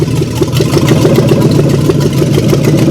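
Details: 1997 Mustang after a P.I. V8 engine swap, first run at about 3 a.m. with no exhaust system yet installed: loud, even, rapid pulsing from open exhaust ports, steady rhythm, no knocks or misses; healthy running.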